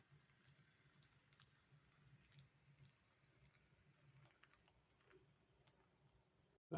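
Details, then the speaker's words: HO-scale Bachmann Spectrum Fairbanks Morse model locomotive in a sound test: a very faint, soft low hum with light wheel ticking in a quiet room. The motor runs smooth and quiet as a mouse. "erybody how noisy they are, but as you're soon to see, this little dude's quiet as a mouse."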